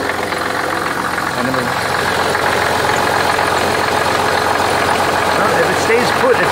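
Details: 1985 Oldsmobile 98 diesel, started after brief glow plug time, with the tensioner pulley replaced by a larger one: steady idle with even clatter and mild unevenness, no belt chirp or flapping, where the belt previously jumped around; normal idle.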